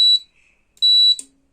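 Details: Voltas AC after indoor PCB repair, tested with a bulb on the outdoor supply: switching off gives two short high beeps and a brief low blip, the outdoor cuts off correctly; normal switch-off beep.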